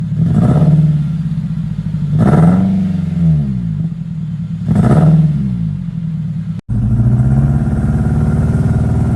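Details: Honda FD with K20 petrol engine: rough, lumpy idle with three quick revs, misfiring because the number 3 ignition coil is dead, so only three cylinders fire and the car feels heavy; found by unplugging coil connectors one at a time.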